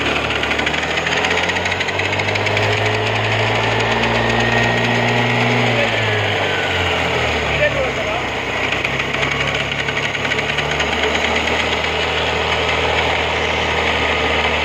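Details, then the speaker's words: Honda Activa 6G scooter engine running steadily with a coarse metallic chatter throughout; noise comes from the starter pinion, which is staying engaged and rattling. "Activa 6G गाड़ी है। किलोमीटर इतना है इसका। Frame number, engine से आवाज़ आ रहा है, पिनियन से।"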